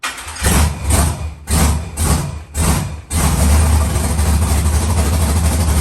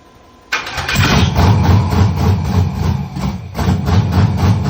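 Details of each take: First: Rebuilt LS V8 in a Monte Carlo, first fire-up, some MAP sensor wiring not yet connected and smoking: a few cranking bursts, then catches and settles into a steady, even idle with no knocks. Normal idle, healthy. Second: Monte Carlo with rebuilt LS engine, first fire-up, weak battery, exhaust flame, map sensors not yet hooked up: fires abruptly, then slow uneven lumpy chop about four beats a second before picking up, later dies. Rough idle; needs fine tuning.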